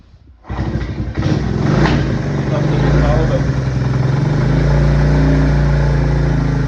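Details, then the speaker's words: 1979 Honda CT90 after cam chain replacement with new sprocket and seals, engine started with chain tension not yet adjusted; fires at once and settles to a steady even idle, the earlier noisy cam chain rattle gone. "That was what that noise was, and that's fixed it."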